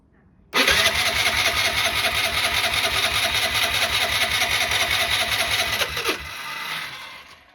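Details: Piaggio ET4 scooter, carbureted and unused for years, started on a jump pack: the engine catches and runs with a rough, uneven beat for several seconds, then abruptly dies. The cause is unclear; the owner suspects vibration knocked the jump pack off.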